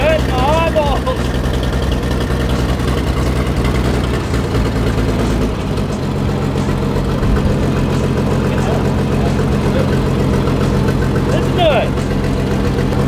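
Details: 1944 Chevy Blitz WW2 army truck, first start in 30 years after new fuel went in: the engine settles into a steady, even low rumble with no misses or knocks, voices in the background. It is idling normally.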